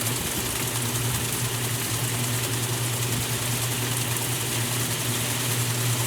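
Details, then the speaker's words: 1978 Maytag A408S and 1989 Maytag A482 top-loaders in spin during the Regular Wash cycle, one reaching full speed with the other about to spray rinse; one was earlier slightly off balance; smooth steady low hum with no knocks or scraping; normal spin at full speed. "this one's pretty much up to full speed now this one shouldn't be too far behind it with the spray rims as well"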